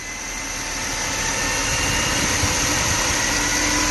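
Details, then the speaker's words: Mercedes M271 after replacing the leaking oil pump hose A2711870201 and plugging the balance-shaft tensioner hole, restoring oil pressure. It pulls smoothly from idle to about 1500 rpm with no rattle; the exhaust VVT cam clatter is gone. "机油压力上来以后，VVT 轮的异响也解决了啊。因为这车271是排气调节多啊，听声。OK 啊，没有之前的嘎啦嘎啦响啊。"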